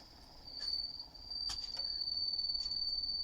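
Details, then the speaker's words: HMV 102 gramophone motor at 78 rpm gives a thin, steady high whistle that is absent at lower speeds; the owner suspects the leather friction pad on the speed governor rubbing. "А проблема какая возни при включении вот слышите звук это на более быстрых оборотах ставим стандартные 78 и вот он писк такой не писк Ну свист на меньших оборотах его нету"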